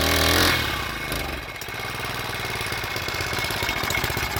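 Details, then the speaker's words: 4-stroke weedeater being winterized, cold out so given a bit of gas, idled to draw fuel from tank through carburetor: brief throttle blip drops to a quick, even putter with steady firing and no misses; normal idle. "we're gonna idle it for around 5 minutes to make sure all the fuel gets from the tank down here into the carburetor, then out through the exhaust."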